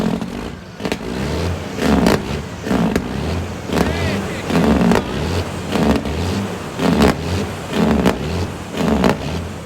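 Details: Tuned diesel cabover truck, throttle held wide open with fast idle stick, check engine light on: roars up then sags about every two seconds, won't stay at full throttle. Surging, suspected limp mode, cause unknown.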